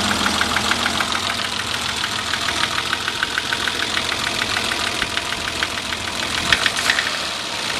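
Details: Car engine at idle: a steady, sharp knock of about three beats a second. The owner wonders whether it is piston slap or rod knock; the cause is unconfirmed.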